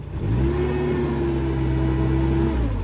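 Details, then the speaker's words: Tennant 355 ride-on floor sweeper petrol engine after new fuel pump installed: steady, fast, even drone with no dip or hunt; idle speed set too high, being turned down. "Turn the idle down a little bit. I'm going to turn the idle down. Okay. We don't need all that."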